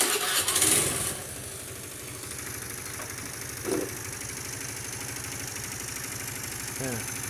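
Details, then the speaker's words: Honda Beat automatic scooter: after starting, a harsh, fast, uneven ticking rides over the idle, sounding like piston or cam chain noise. The actual cause is a loose spark plug. "suara mesin ini sangat berisik, seperti apa ya? Seperti piston, suara piston."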